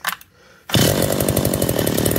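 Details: McCulloch Eager Beaver 2.0 chainsaw after rebuild with new parts, fueled and started: after a quiet pause it catches and settles into a steady, even high buzz with no misses; running but rich.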